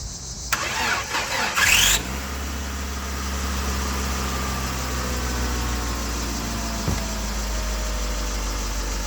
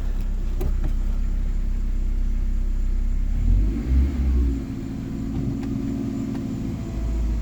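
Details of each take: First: 2001 Ford Escort ZX2, first start in months or years, low on fuel with a partial gallon: short cranking, then the engine catches and settles into a smooth, steady idle with no misses or knocks. Normal start and idle. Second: 2001 Ford Escort ZX2, first revving: low rumble that hangs before the revs climb, so pickup lags the throttle. Delayed throttle response.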